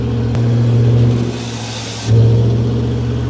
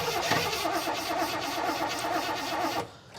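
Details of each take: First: Garage-find Rover P6 3500 V8: deep even rumble rising and settling with the throttle, no puffing or ticking; exhaust not thought to be blowing, maybe slightly. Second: Garage-find Rover P6 3500 V8 cranking with a fuel line disconnected to check for flow: even starter churning about three seconds with no firing and no fuel coming out; crank no start from a blocked fuel supply.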